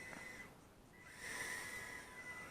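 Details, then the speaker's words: Eachine E010S whoop with Racerstar 59,000 RPM coreless motors, stock setup, thrust test near full throttle: thin steady high whistle near 2 kHz that swells with throttle; motor PWM whine, said to lessen with a 32,000 PWM rate. "it's got that annoying hiss to the motors if you change your pwm rate to 32,000 that will uh make that sound a little less annoying that whining noise"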